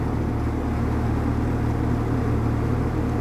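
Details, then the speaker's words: Vintage Sears Homart Cooler belt-drive window fan with 1/6 HP Craftsman motor, dusty and likely needing a new belt, running on high speed: smooth steady low hum with no rattle, scrape or wobble; runs smoother on high than low, normal. "let's start it up again on high i hate to say it it's actually performs better on high than it does on low honestly it runs smoother at least"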